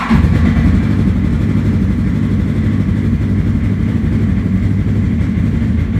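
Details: 2017 Polaris RZR 1000 XP non-turbo, started after radiator replacement and coolant refill to warm up and check for leaks: steady low rumble with an even unhurried beat, no knocks, squeals or misfire stumbles; normal idle.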